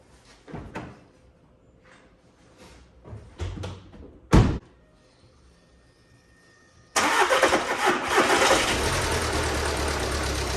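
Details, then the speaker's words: Swapped engine from parts car, VW Passat TDI diesel, first start after install with primed fuel system and new fuel filter: several short cranks, then fires and holds a steady, even clean clatter at idle; runs healthy. "listen to this thing for nothing makes you happier than swapping out a motor and getting it fired up and having just run like a million bucks"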